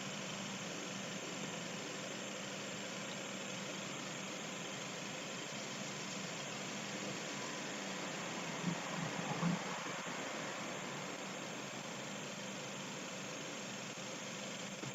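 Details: 1998 Mazda 626 with a rough idle under load: quiet idle that wanders unevenly with a faint shake. Retarded ignition timing found, and the idle air control duty cycle reported by the ECU does not match the oscilloscope; cause not confirmed.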